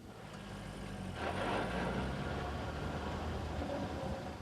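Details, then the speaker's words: 2002 C5 Corvette with a front high-output V8 and rear-mounted transmission: a low, slightly coarse mechanical buzz from underneath that swells briefly and settles. It is inherent to the driveline design, not a fault. "This noise is not an indication of a problem. It's a characteristic noise inherent in the driveline configuration of the Corvette."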